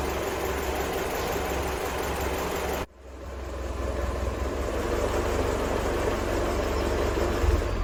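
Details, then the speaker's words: 1975 Land Rover Series 3, freshly rebuilt four-cylinder engine running after warm-up and timing set: steady low beat that dips briefly then settles back to an even idle; normal idle. "Right, so I officially have a running Landy."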